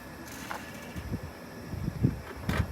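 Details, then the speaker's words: Lifted Hellcat with Whipple supercharger, engine seized on the road, turned over by hand via the supercharger: rough, uneven grinding scrapes every half second; blower rotors rubbing the case, supercharger failed. "oh do you hear that come a little closer that's not supposed to be grinding is it no it sounds like it's in the supercharger yeah rip to that Whipple"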